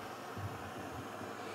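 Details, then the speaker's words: Primus pressurised kerosene (paraffin) stove with roarer-type burner: quiet, even rushing roar with no sputter or surging; running normally. "This one is called the roarer, this particular burner. You can hear the sound of it there."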